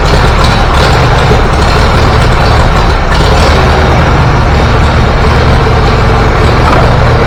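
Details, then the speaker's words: Antique Farmall B tractor, first trip outside: running hot with a ragged, uneven beat as spark fades; weak ignition coil breaking down, confirmed when a new coil restored strong spark and smooth running. "It's starting that same crap that I was doing with the spark earlier. Alright, I'm not taking it any further outside. Let's get that coil switched over and see how it runs."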